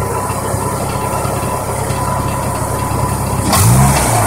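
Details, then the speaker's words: Petrol car exhaust at idle and revving: loose metallic rattle like a bolt inside the pipe, mainly on rev-down, from broken-up catalytic converter internals; converter later found hollowed out. "so if you listen you'll hear a rattle on the down R just sounds like a bolt like this kind of like inside the exhaust or inside a pipe you know it sounds like that rattling around"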